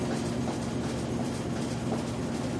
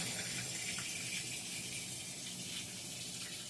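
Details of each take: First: Whirlpool WTW4816FW3 top-load washer bought July 2023, control board replaced three times, small load set to rinse and spin: steady low drum rumble and constant spin tone, no water fill or agitation. It spins a second time and skips the rinse. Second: Whirlpool WTW4816FW3 top-load washer bought 2023, control board replaced three times, soaking a small towel load with water below the load after a harsh twist: steady hiss of water pouring into the drum. It finally senses the low level and tops up normally.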